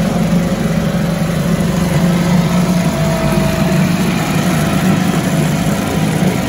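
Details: 1974 US-made Mercury 4 hp single-cylinder two-stroke outboard, revived after long storage, running after reassembly: steady, even buzzing at constant speed, no misses, knocks or surging, runs like a top; normal running.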